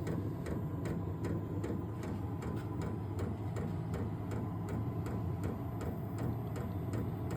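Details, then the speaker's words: Vevor 12 V 8k diesel heater at startup with cold air still blowing: steady light ticks about twice a second over a low hum as the fuel pump cycles fuel into the heater; normal. "all right don't know if you can hear that that's the pump cycling in it's going to dump fuel into the the heater portion of the unit cold air right now"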